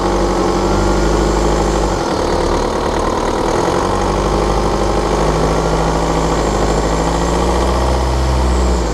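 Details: 2013 BMW 520d F10/F11 N47 diesel, cold and under load at 1500 rpm: sharp, fast metallic ticking over the diesel clatter; one faulty injector, pinpointed with ISTA test.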